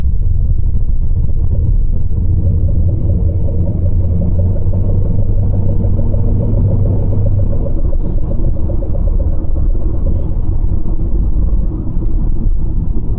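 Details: Skoda Superb accelerating: deep heavy drone under load with a faint fast buzz on top; odd noise on acceleration, source unknown.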